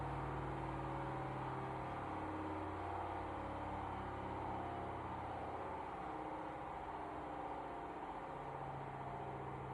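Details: Hoover HDRY 500 front-load washer, just over 12 months old, after engineer replaced a drum suspension clip: loud drone as the drum spins with a rapid throb about four a second; engineer claimed the noise level is normal.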